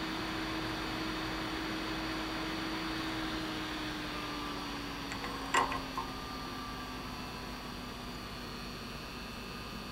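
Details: Visico VC100 LED studio light cooling fan: soft, even whir with a faint steady tone easing slightly in pitch, no rattle or scrape; it runs normally.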